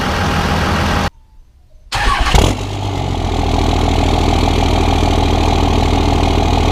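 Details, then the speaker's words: 2001 24v Cummins diesel with HY35 turbo, after fitting a Banks cold air intake replacing the stock intake: engine catches, flares and settles into a steady even throb, turbo whistle now more audible on throttle; normal diesel rev with turbo whistle. "so for me that is a very clear noticeable difference from the stock intake to the banks coder intake with the turbo whistle"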